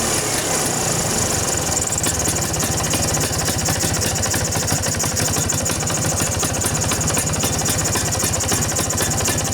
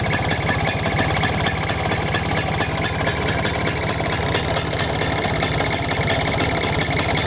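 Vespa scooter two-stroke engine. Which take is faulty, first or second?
second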